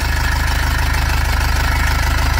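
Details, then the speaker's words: 2005 Nissan Xterra with an MWM Sprinter diesel at idle: an even low throb with a faint tinny buzz from the loose turbo heat shield rattling. To be fixed. "a gente vai corrigir esse esse problema no defletor no escudo térmico aqui da turbina"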